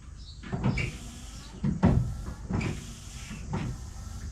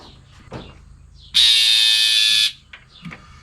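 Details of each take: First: 1966 Ford Mustang windshield washer pump, run from dashboard switch with ground jumpered to harness, car stored 12 years: pump surges on and off about once a second instead of steady; low voltage from poor two-pin connector; ran fine direct to battery. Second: 1966 Ford Mustang, sitting unused for 12 years: windshield washer pump jumpered directly to the battery to test an intermittent fault runs with a steady, high, even buzz and doesn't cut out. Pump runs normally here, though it later proves intermittent too.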